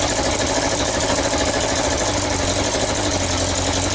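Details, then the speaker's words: Yamaha XJ900S Diversion motorcycle idling after restoration; loud idle with raspy puffing hiss on each firing pulse, exhaust blowing at the front header pipe joints. "okay then so I fought it was blowing from the manifold their horrible forging flapping stands you could hear it says that it's blowing from these pipes"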